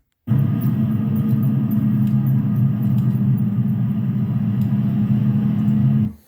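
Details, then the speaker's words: Car driving at road speed; constant deep droning roar with a low wobbling hum underneath, typical of cupped tire tread from driving habits, suspension issues, tire build or lack of rotations. "that is what a cup Tire typically sounds like"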